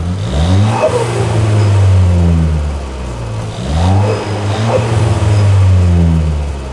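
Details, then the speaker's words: Ford Fiesta ST, pushed hard after datalogging: a whirring tone that sweeps down each time revs drop from about 3,500 to 3,000 rpm; it doesn't sound like the transmission, and the owner fears an overspun turbo, unconfirmed. "every time i drop like from three and a half to three there's this like whirring noise and it's not it doesn't sound like a transmission"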